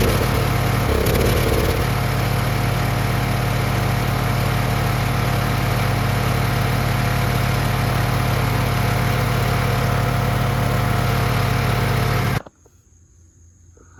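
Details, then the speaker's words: Lawn mower single-cylinder engine after a replacement carburetor kit, fresh fuel and a rigged choke linkage: a steady, even chug with a smooth idle and no misses or surging until shut-off; running normally. "We'll see how long it lasts, but the mower is running fine."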